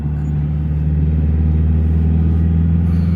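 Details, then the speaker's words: Cheap auction car driving after its biggest mechanical repair, steady low engine drone under light load, even tone with no knock, whine or clunk; the earlier noise is gone and it runs and drives well. "It really is pretty good now. Yeah, actually it's not bad. All kidding aside, I don't hear that noise at all anymore."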